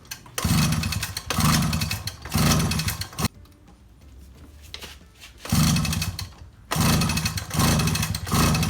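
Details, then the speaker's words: 2002 Suzuki LT-A50 50cc quad after a top-end rebuild with a Wiseco piston: repeated one-second pull-start bursts with hollow whooshing cranking and no firing. Air felt escaping from a port, pointing to a crankcase seal leak causing the no-start. "trying to start the quad and it wouldn't start I started closing up this hole on the intake little port put the cap back on and barely was trying to start and while I was trying to start it when I was pulling the pull start and from this right here there's a little port right here I was feeling that air was coming out"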